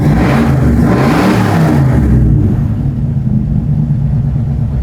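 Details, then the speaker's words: Engine that had a mysterious lifter noise, now with 80 oil pressure and good temperature; the noise cleared after hard revving. Strong rev falling back to a smooth, even idle with no top-end ticking or tapping. Sounds healthy. "she's good let's get to the track oh let's get to the track I'm happy it's good I can't believe it it came and went"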